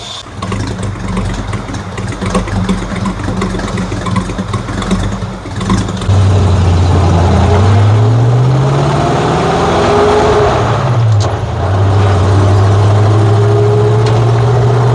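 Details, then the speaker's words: 1950 Ford F1 with flathead V8 8BA, test drive after replacing a blown header gasket: deep, even rumble through the gears, quiet in the cab, no usual popping or backfire on shifts and no sputtering. "it seems very quiet here in the cab which is nice I'm not getting the normal backfire that I get through the like when I shift it usually kind of Pops a little bit"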